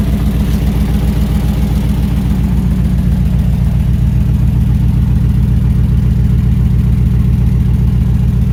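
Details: 1968 Ford Bronco V8, freshly oiled, with thick new oil in the transfer case spinning the front driveshaft; steady even idle, evenly spaced beats, no miss, tick or knock; first time running within all normal parameters.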